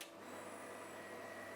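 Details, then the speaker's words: Vector Welding water cooling system pump for the TIG torch on a Vector London 2400, at about 35°C ambient; soft even whir with faint steady whine like a washing machine, no knocks or rattles, normal pump running. "Suaranya kayak mesin cuci rumah. Kemarin aku ngeluh suara fan dari Vector London 2400 berisik. Nyata setelah pakai water cooling berisiknya ketutup, tapi nggak apa."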